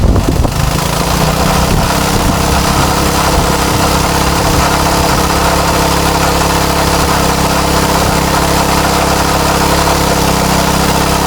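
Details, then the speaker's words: Craftsman tiller with a Tecumseh Eager-1 engine: a steady, even drone that sounds pretty good, though high speed seems a little high. Normal running. "oh that actually sounds pretty good let's see high speed seems a little high"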